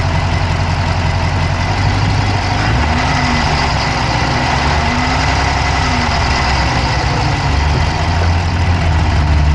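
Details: Dodge Charger Hemi V8 at steady idle, recorded inside the engine bay on the passenger side with an Insta360 Go3: quick, light ticking keeps pace with engine speed; a fast tick at idle, source not pinned down yet.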